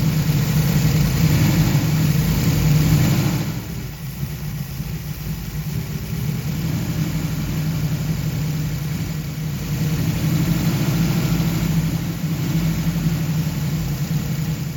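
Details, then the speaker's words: 1969 Camaro SS V8 idling after intake manifold bolts were tightened, engine dies when put in gear: steady, slightly uneven low idle without clean lope; somewhat better but a vacuum leak remains, manifold gasket may need resealing. "donc je pense qu'il fonctionne un peu mieux maintenant que j'ai serré les boulons mais nous il y a toujours une sorte de fuite de vide"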